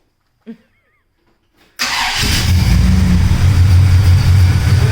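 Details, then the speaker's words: Pontiac with 350 Oldsmobile V8: starter catches and engine settles into a deep, even, quiet idle with no knocks or ticks; healthy engine. "sounds awesome. And the motor is quiet. You can't hear a beat out of this motor."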